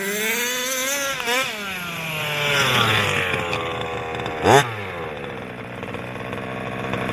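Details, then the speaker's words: Losi 5B TLR with OBR 34 two-stroke engine, before rebuild: buzzy note swinging with throttle over a loose metallic rattle; teardown found one failed crank bearing (coil and starter had been checked). "I kept on getting this noise I said Harry I'm listening and you'll hear this it's not a it's almost like a rattling noise in here coming from the car just not really healthy"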